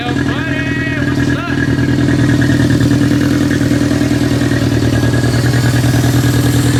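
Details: K24-powered sand rail, Hondata K-Pro ECU, first start: slightly uneven, loping idle with a wavering beat; rough running pending remote tune.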